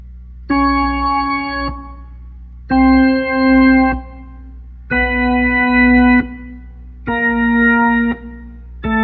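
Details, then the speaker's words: Hammond B3 MK1 organ after busbar cleaning and pedal rubber contact replacement: keys pressed slowly sound instantly with clean, steady sustained chords, crisp starts and stops, no crackle or dropout. "All right, so now if we press it slowly, see, it just comes right on just like that."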